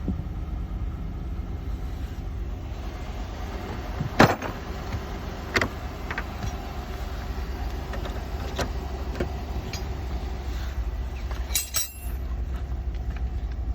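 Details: Chevy/GMC truck idling after a P0178 fix, new flex fuel sensor and fuel filter installed, fresh oil change: steady even low rumble with no knocks, misses or hunting, a couple of handling clicks on top; healthy.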